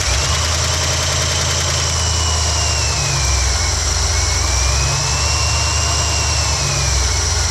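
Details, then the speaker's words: Oldsmobile 350 V8 in a Cadillac, just fitted with an Edelbrock 2711 intake replacing the factory intake, started stone cold after sitting with the coolant drained: quick start, then a low, even, steady idle burble with no misses or knocks. "i cannot believe how quickly and easily it started considering this car's been sitting here all day and i drained all the coolant out and this thing was stone cold"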